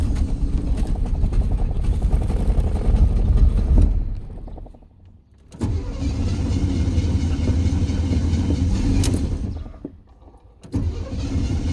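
Three long cranking runs of about three strokes a second with short pauses between, and it doesn't catch: an extended hard start.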